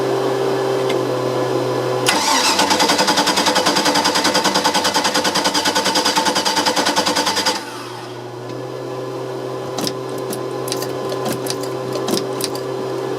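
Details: OMC 5L boat engine, fuel inlet hose fed from a jar of gas to rule out tank restriction; rhythmic cranking about five seconds, catches then cuts out with only clicks; stalls immediately after starting, cause still undiagnosed.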